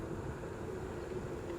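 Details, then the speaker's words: Segway Ninebot S-Plus self-balancing scooter rolling downhill with an even hum, then a high beep as it nears its fixed 12 mph top speed and pushes back to slow the rider; speed limit warning. "as soon as you start getting any kind of momentum it just throws you back and slows you down so oh there it goes again"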